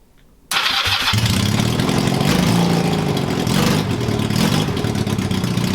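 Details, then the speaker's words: Honda CB250 scrambler, first run with tank fitted, jetting not yet done, open header pipes only. Catches after a brief crank and settles into a loud, blatty, even beat with no knocks. Normal running, too loud. "I'm so happy with that she runs and not that bad considering I've not done the jet or anything on I'm really pleased with that there's eggs also a little bit too loud awesome but a little bit too loud"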